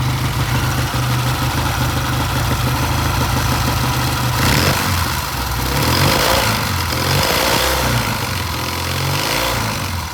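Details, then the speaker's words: Vintage British motorcycle idling on a new temporary ignition system lashed to the frame, with new plug wires and timing set: steady even idle beat, no misfires or stumbles; runs real smooth, best it's ever sounded. "I mean, it really sounds good, real smooth. I'm happy."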